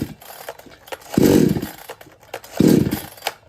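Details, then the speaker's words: Kisan Kraft / R Yantra 58cc two-stroke chainsaw with a full petrol tank, choke pulled out: two short bursts of catching, each fading within half a second; stalls when throttle is applied and won't take load. Cause unknown; fuel line, filter, plug, rings, piston, cylinder or carburettor to be checked. "Problem इसी तरह से हो रहा है load नहीं ले रहा है मशीन स्टार्ट होकर बंद हो जाता है एक्सलेटर लेने पर मशीन अचानक से बंद हो जाता है"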